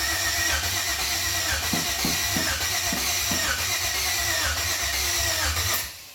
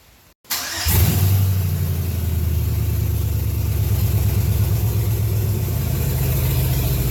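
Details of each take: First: 1992 Chevrolet K1500 with 4.8 LS swap, first test fire: steady starter churn about six seconds, no firing; fuel pump not heard, PCM suspected, later found harness unplugged; cranks but no start. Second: 1992 Chevrolet K1500 with swapped 4.8 LS V8, first test fire on temporary wiring: brief crank, catches at once, revs, then settles into a steady, even, deep idle. Engine start and idle.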